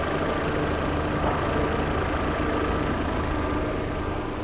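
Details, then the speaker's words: Peugeot 408 restarted, idle stabilizes smooth and steady with no ticking over engine hum; engine noise, blamed on noisy valve in cover cap seal rather than timing belt, no longer present. "liguei novamente estabilizou marcha lenta sem o ruído tá"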